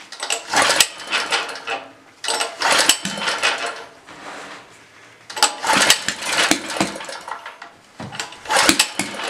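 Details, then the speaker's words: Blue Max Gen4000B generator, sat unused a few years: engine catches in short ragged bursts of about a second then dies each time, won't hold a run; owner feels it's not getting gas and plans to remove the carburetor. "I guess I remove the old carburetor it just feels like it's not getting gas that's all"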